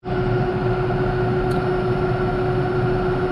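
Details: Bridgeport Series 1 2HP J-head Vari-Speed mill after repair: the noisy upper pulley bearing was replaced; it now runs at about 1000 RPM with a steady, clean motor hum, no knocks or squeals.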